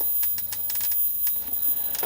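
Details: Philips 34cm CJ414 portable CRT TV, just powered on, on a hot day: irregular sharp snapping crackles over a faint set hum. Suspected EHT arcing around the ultor cap, no sparks seen. It eased once warmed up.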